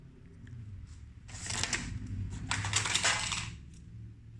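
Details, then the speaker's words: Marantz CD-72Mk2SE CD player tilted by hand: light, irregular plastic ticking and clattering from something loose inside, position not yet found. Internal rattle. "Dan ini untuk yang tadi apa yang bunyi ya, tuh ada sesuatu di dalamnya tuh. Tuh ada sesuatu dalamnya."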